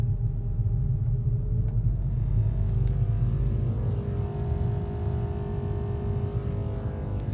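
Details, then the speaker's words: 2012 VW Golf GTI driving at night: from third gear a low droning rumble under road noise pulses unevenly, heard from the back right; noise changes on gear change, source unknown; rear vibration rumble. "I'll go out and once I come on the third gear I can hear some like vibrating noise coming from the back the back right"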